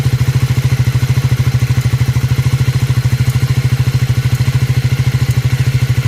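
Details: Triumph Scrambler 400X / Speed 400: steady idle with a sharp, even clatter about three times a second riding on the beat; abnormal engine noise, cause not pinned down.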